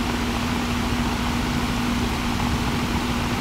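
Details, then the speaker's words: Home AC unit on a slab house: only the condenser fan whooshes with a faint hum, compressor not running; capacitor first suspected, but chipmunk nest found under a cover and wiring to the compressor damaged. "I think the capacitor might be dead because it's compressor's not running the Fan's running but the compressor's not running"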